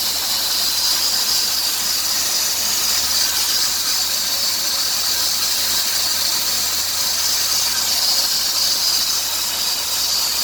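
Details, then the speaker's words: 2003 Dodge Grand Caravan 3.3, 372,528 miles: constant high squeal with hiss and chirps on acceleration, louder toward 2000 rpm; idler, tensioner pulley and power steering pump replaced without fix; worn serpentine belt, new belt stopped noise. "2003 dodge grand caravan 3.3 makes a hissing and chirping noise on engine acceleration so"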